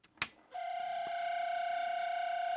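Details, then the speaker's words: 1970 Panasonic RQ-209AS cassette recorder in play mode with very loose, slipping belts: a steady, thin high-pitched squeal from the motor, a dry motor bearing; the fix is a drop of oil on the motor end (owner thinks it's mechanically governed). "that's actually the motor it's nothing to get too concerned about you just put a drop of oil on on the end of the motor"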